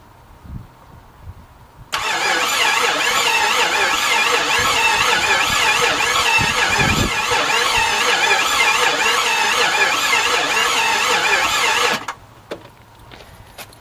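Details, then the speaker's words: 1989 Jeep Grand Wagoneer 5.9 V8 carbureted, sat outside almost 20 years, first start attempt: starter spins at an even three beats a second for ten seconds and it never catches; owner unsure it has spark, plans starter fluid. "i can't say i'm surprised but i definitely i'm gonna go grab uh some fuel dump some fuel down i don't even know if i have a spark yet or anything so it didn't sound like it has had spark"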